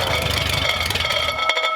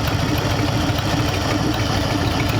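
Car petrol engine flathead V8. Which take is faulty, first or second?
first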